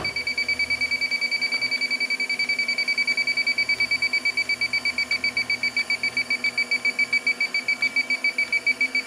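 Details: Warm walk-in cooler with the fans off: the refrigerant leak detector beeps rapidly, about two to three per second and quickening, near the evaporator coil area in a heavily contaminated room, detecting a refrigerant leak.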